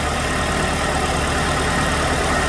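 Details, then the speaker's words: 2006 Chevrolet Malibu 2.2 Ecotec four-cylinder after temporarily fitting a used ignition control module: steady, even idle without misfire stumble, now running on all four cylinders, though plugs likely fuel-fouled from earlier misfire. "definitely got the same pattern i'm sure the plugs are fouled with all that fuel in there but it's definitely running on four cylinders now"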